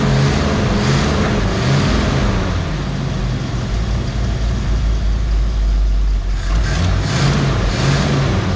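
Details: 1969 Mercury Cougar H-code 351 V8, automatic, dual glasspack exhaust, just pulled from storage: loud lumpy loping idle with occasional stumble; owner thinks it is running on about seven cylinders, misfire suspected, unconfirmed.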